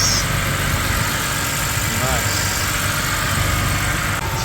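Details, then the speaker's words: BMW E90 325i automatic, a water-damaged non-runner, idles smoothly and evenly with a steady low hum and no stumble or misfire right after ECU replacement; slight smoke at the back; engine running healthily. "very nice very nice there's not even misfiring man"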